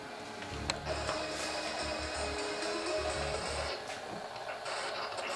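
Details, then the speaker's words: Solwise PL1000 powerline adapters during a 300 MB network transfer: harsh buzzing hash with choppy bursts over hiss on a scanner receiver while a DAB radio dropped out; the radio recovered after the transfer ended. "the noise you can hear in the background is the transmission interference coming through on the scanner because the dab radio has stopped working"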